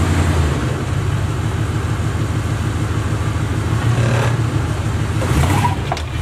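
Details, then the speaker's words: Box Chevy V8 during a return build, with good oil pressure and no leaks: a deep, even burble at steady idle with only small blips and no miss; running smoothly, the best it ever has. "so we're gonna be running a whole lot smooth pretty much the best that I ever ran"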